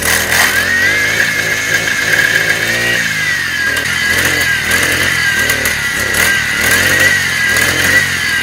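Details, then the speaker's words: Hot brush-cutter two-stroke: a high buzzing wail that won't rev up under throttle, wavers and sags in rough pulses, runs very hard, then stalls. Attributed to a degraded ignition coil, which is then replaced. "นี่นะครับอาการมันจะเป็นแบบนี้นะคือเราจะเร่งยังไงมันก็เร่งไม่ขึ้นนะครับแล้วก็ตัวเครื่องเนี่ยมันจะใส่อย่างแรงเลยนะครับสักพักนึงเราจะบีบคันเร่งยังไงมันก็ไม่ไปนะครับแล้วสักพักนึงเครื่องมันก็จะดับแบบนี้นะครับ"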